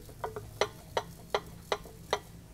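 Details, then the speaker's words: Ferrari 456's removed passenger-side catalytic converter, rocked by hand after a meltdown: dry, sandy rattles about three a second as broken ceramic honeycomb catalyst bounces around inside. Catalytic converter substrate breakup from overheating. "you can actually hear the Catalyst inside of there just bouncing around the catalyst is like a ceramic honeycomb"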